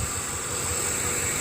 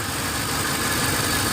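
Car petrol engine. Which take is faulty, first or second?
second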